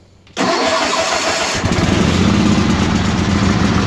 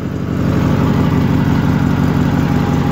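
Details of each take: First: 1968 Suburban Hydro Trac 12 garden tractor on a cold start with choke: catches, then runs lumpy and uneven, sagging as if about to die before picking up; engine needs lots of choke until warm. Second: Steady, even low thumping from a small single engine on an old garden tractor at constant speed, no misses; best it has run since bought, despite old discoloured fuel and plugs and points still to be serviced.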